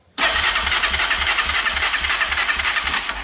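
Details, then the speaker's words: Ecuadorian motocarro (cargo tricycle) with a new iridium spark plug, tested with a spark tester while cranking: engine turns over at three to four compressions a second but won't catch; no spark, then very weak spark. Suspected HT coil, CDI or stator. "Uy, no hay chispa. Vamos a unir un poco más la punta y vamos a darle. Uy, una chispa bastante débil, una chispa muy débil."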